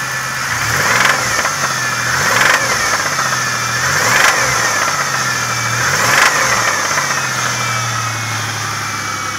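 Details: 2000 Pontiac Grand Prix GTP engine: blipped up and down repeatedly with a dull knock riding on each rev rise, pointing to bottom-end knock, probably a rod bearing.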